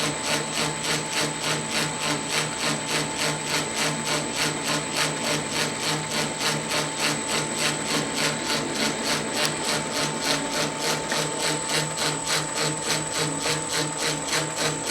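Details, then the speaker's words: 1910 Rivett 8-inch precision lathe, after headstock rebuild with new spindle gear, test facing cut on power cross feed in noisier tumbler position: steady high whine over regular clicking about three per second; gear whine from noisy tumbler-position gear. "well I think we're pretty good got to do something about that noisy gear in this tumbler position though"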